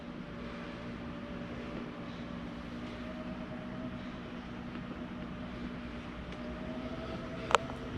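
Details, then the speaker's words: Jayco Eagle 24RE RV awning retracting: steady, even motor hum with a low drone, ending in a soft clunk as it stops on its own; normal awning motor operation. "Over here, hit retract on that. And we'll run that back in real quick."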